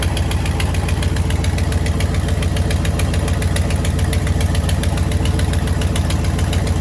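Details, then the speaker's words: 1955 Buick Roadmaster 322ci Fireball V8, newly revived with Carter carburetor: sharp regular tick about three per second over even idle, clears up with higher rpm; suspected exhaust leak or valve train, unconfirmed. "I'm ready to get rid of that exhaust leak, make sure that ain't a valve train noise. Dad has a good point. When you bring the RPMs up, it kind of clears up and goes away, so we might have a valve train issue."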